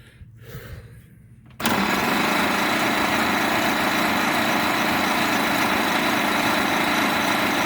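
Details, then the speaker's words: 1927 Pirsch fire truck, first start attempt in 29 years, 12 V battery and 12 V coil replacing 6 V system, fuel tank hooked up: steady fast starter churning, even, no firing or catch; cranks but won't start. "well that sounds like a bunch of nothing so far let's make sure this isn't arcing out"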